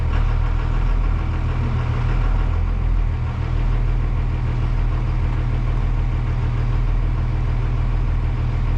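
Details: Cummins 24-valve diesel school bus on its first cold start after about 5 months parked over winter: steady, even low rumble with no knocks or misses while warming up, a clean normal idle.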